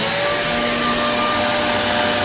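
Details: Repaired Hoover vacuum with cleaned motor, switched to tools mode using the hose, which sucks strongly: steady, even high motor whir with constant tone, no rattles or surging; running smoothly as it should.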